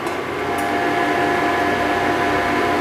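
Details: Induction cooktop heating a water vessel at 1000 setting: steady electrical hum with soft fan whir underneath, no buzzing or crackle; heating normally.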